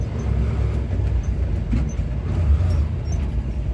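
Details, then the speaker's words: 1972 International 1210 V8 after intake install fixing a vacuum leak through the intake gasket, carb with 500 CFM jets (#74); deep steady rumble pulling uphill in second at quarter throttle then whipped and shifted, no hesitation or lag. "Second, pulling up the hill, feeling for a lag. Back quarter throttle. I'll whip it and shift, see what happens. Did not hesitate for"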